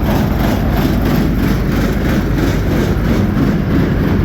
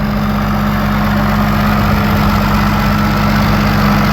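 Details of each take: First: Combine diesel at idle with rotor spinning, feeder house not running: loud, heavy idle with a rough clatter from the rear end, source unknown, which quiets once revved slightly above idle; abnormal noise at idle. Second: Combine diesel engine at a steady, even idle with a constant low hum and no knocks or misses, running like a champ after exhaust work and a new light switch; normal idle.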